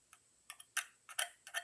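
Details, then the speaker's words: Edison C & H phonograph reproducer with cork gasket, diaphragm previously corroded and soaked in sudsy ammonia: light crisp taps ring cleanly with no rattle or buzz, diaphragm not touching the edges; passes the blow test, healthy. "This is perfect sound for the diaphragm. It's not hitting any of the edges on the inside when you install it."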